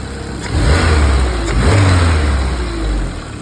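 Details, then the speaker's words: New F24 engine on first start and run, A/C removed: smooth, even idle with steady low hum, no knocks or misses; normal idle. "how's this for running steady look at that Idol"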